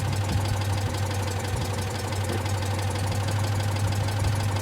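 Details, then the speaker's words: Citroen Dyane/2cv small twin at tick-over with the old sealed Ducellier voltage regulator: even low putter with no misses, knocks or hunting, charging nicely; normal idle. "It's pumping it up nicely."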